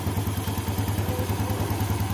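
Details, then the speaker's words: 2014 Yamaha Jupiter Z1 that clattered ("kletek") when cold: after the clogged hose in the breather system was cleared of water, the engine idles smoothly with a steady low beat and the clatter is gone; it was not the clutch. "Oke halus ya teman-teman ya suara kletek-kletek ternyata suaranya yang ditimbulkan bukan dari sini bukan dari kopling ya malah dari selang ini tadi"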